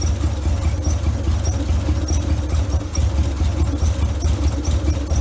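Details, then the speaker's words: 1956 VW Beetle with twin replacement 40mm IDF-type carbs, idling on the passenger-side carb only because the driver-side carb's inlet needle is stuck closed: a low, lumpy, uneven idle of about two pulses a second. It runs, but badly. "well she's running she ain't running good"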